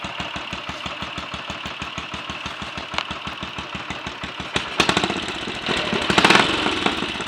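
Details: Royal Enfield 500 single (Asbo 34) after rebuild (ported head, barrel shortened 2 mm, Hitchcock's 9:1 piston), third start after adjustments, timing set by strobe: lively even crisp thump with a few throttle blips, no apparent issues; healthy idle.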